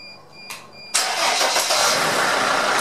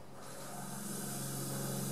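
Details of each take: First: Sprinter T1N diesel van with P0299 turbo underboost codes. It is quiet for about a second, then catches cleanly and settles into an even, steady diesel idle: a normal start. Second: Mercedes Sprinter T1N diesel, engine off, intake system pressurised with shop air at about 20 psi. A steady sharp hiss is heard from a cracked turbo/intercooler hose leaking. The leak had caused limp-home mode, capping speed at 62 mph.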